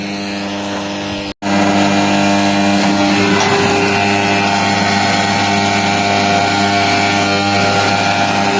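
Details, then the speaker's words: Farm well pump motor with failing starter, irregular mains power for two to three days: loud steady electrical buzz with hard mains hum over running pump; starter chattering badly, later burned with smoke; power supply suspected. "हे पहा केवढा आवाज येतोय त्याचा ऑटोचा आपला स्टार्टरचा लय आवाज करतोय"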